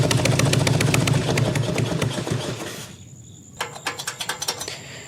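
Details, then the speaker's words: 1997 Harley-Davidson Evo Big Twin Road King with the choke out: rough idle with sharp, loud puffing pops, then it dies. The rear cylinder exhaust flange nut is missing and the gasket is completely blown; it is possibly sucking air too. "there's no nut on that rear cylinder head exhaust flange, and so that exhaust gasket is completely blown out. So that's probably not helping the situation here too. It sounds terrible."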